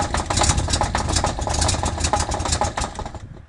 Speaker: Can you identify what this sound is? We have no idea, but we're going to find out pretty soon when we tear it down.